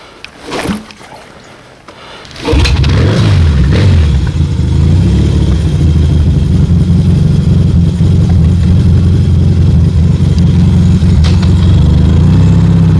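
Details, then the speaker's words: Yamaha 650 XSD (1977) with swapped-in 1981 electronic-ignition motor, Wassell mufflers, '77 carbs, kick-started because battery dead; couple of kicks, then the twin settles into a strong, even beat with no misfire or rattle, normal running. "And uh this motor's got uh electronic ignition, '81 motor. I got some Wassell mufflers on there and a pair of '77 carbs"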